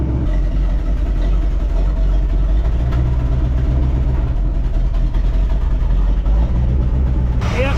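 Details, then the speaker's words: 1973 Thunderbird car V8 running during a cooling system flush, with the filter clogged again: a deep, loud, blatty rumble with little top end on revs; muffler suspected blown out, not confirmed. "Filter's clogged again. You can tell because when you rev it, it expands a little bit. Sounds like our muffler's blown out too."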